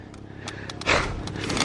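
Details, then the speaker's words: Trike being pedalled on the road: irregular sharp creaks and ticks over road rumble, sounding like a rickety piece of junk; the recurring creak's source is not confirmed. "what the heck man it sounds so horrible sounds like I'm riding like a a rickety piece of junk"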